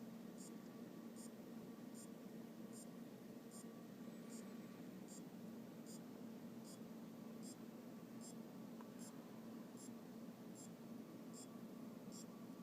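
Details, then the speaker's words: Aopen LCD monitor that will not power on: steady clock-like ticking, about one tick every 0.7 s, over faint power-supply hiss. It appeared after the power supply was checked and refitted, with capacitors replaced and diodes, rectifier and transistor checked. Source is still unidentified. "este me encuentro con que hay un ruido pare parece como el de un Ah reloj y no estoy 100% seguro de dónde viene el sonido pero voy a tratar de filmar un poco a ver si puedo identificar dónde"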